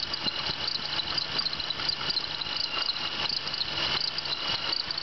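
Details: 1996 Pontiac Bonneville SSEi idling: high, scratchy chirping repeating quickly and unevenly from the belt drive; worn idler pulley bearing.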